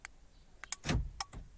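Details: Renault Laguna central locking after fitting an aftermarket universal remote control kit, operated by remote: quick burst of sharp crisp clacks as door locks throw together, quiet between; actuators working properly; central locking working normally.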